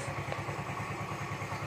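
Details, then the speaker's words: Yamaha Mio M3/Mio Z 125 after new piston rings, a fix for thick white smoke and valve/camshaft ticking: soft, regular, steady idle pulse with no top-end ticking. The smoke and ticking are both gone. "Alhamdulillah sembuh guys ya jadi lihat dan suara ngelitik nya juga hilang"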